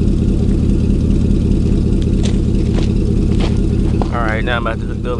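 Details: 2000 Chevy 4.8 V8 truck with four coils deliberately unplugged, misfiring on half its cylinders; lumpy, uneven idle with a rough beat about 146 per minute and a flat, choppy light rev.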